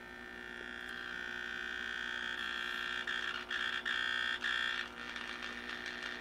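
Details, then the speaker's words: 1934 Grunow 501 five-tube transformerless radio brought up slowly on variable voltage with a 78 tube fitted: at about 90 V a steady, harsh buzz rises from the hiss; source not yet found. "80 volts here in sound here shortly if we're going to hear it at all 90 volts I hear buzzing"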